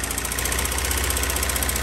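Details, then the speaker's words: Old bus, long unused, just rescued, first start on gasoline: rough, uneven running with a lumpy low beat, sputters and "farts". Engine running roughly after long storage. "she's trying she's trying come on girl come on girl come on girl that's on gasoline it's running"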